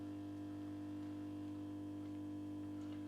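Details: Mazda Solair 251 street luminaire (1987) with a sodium lamp, tested without its diffuser bowl: constant low mains hum with a firm, steady tone that never wavers. This is the ordinary ballast buzz while the lamp warms up, so it is normal.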